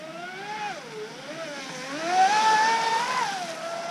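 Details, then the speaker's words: Joysway Rocket 26 RC race boat on 4S with plastic props, test run after the flex shaft end was re-glued with 24-hour epoxy and the drivetrain modded; motor whine sweeps smoothly with throttle, no rattle or grinding; repaired drivetrain runs clean. "these test runs were really successful so i'm pretty happy with the repair result of the flagshaft"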